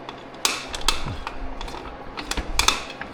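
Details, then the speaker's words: 2007 Suzuki DRZ400S, 11,000 miles, swingarm rocked by hand with a couple of bolts out: irregular gritty clicks and creaks, sounds pretty terrible; worn swingarm pivot bearings, later found gone and needing replacement. "Listen to that. Sounds pretty terrible."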